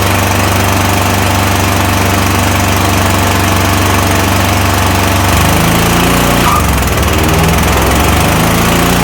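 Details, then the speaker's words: Toro Titan MX5400 zero-turn mower with a Kohler Confidant 23 hp V-twin runs uneven and lumpy with speed dips; it bogs badly under load and sounds weak. One cylinder is misfiring, and a choke test shows it is not fuel-related. "This thing bogs down under a load real bad. It runs rough and overall it sounds very weak."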